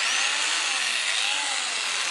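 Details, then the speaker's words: Einhell BBH 850/1 rotary hammer, 850 W, SDS-Plus, about 8 years old, after new brushes and gearbox regrease/sealing for leaking grease and overheating; jackhammer mode runs with smooth high-pitched motor and gear whir, no grinding or rattle, all working normally. "او د جک هامر د عملیاتو حالت ... د ډرمر غږ اوریدل کیږي. هرڅه سم کار کوي."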